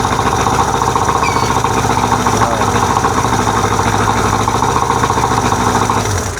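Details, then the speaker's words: 1999 Johnson 70 hp two-stroke outboard after carburetor rebuild and mixture screw adjustment (three and a half turns): steady, even burble at idle, no misses or knocks, no fuel leaks. Normal idle. "All right, I got no fuel leaks. We're idling nice and she sounds fantastic."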